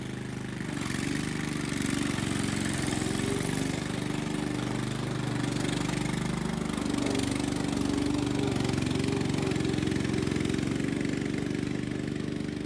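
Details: Restored Jacobsen Chief 800 with new carburetor, after fitting a guard to keep the belt from flying off: steady even putter from the small single-cylinder engine, no knocks or misses; settles into a smooth healthy run.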